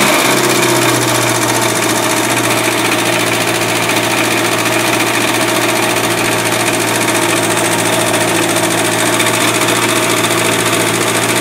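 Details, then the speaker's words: 1969 MG Midget engine running: a steady whirring with a gritty rumble on top from a worn generator bearing. The water pump was ruled out, the fan has no clutch, and the generator may need replacing. "it's definitely the generator making the noise might need a new one with the bearing you"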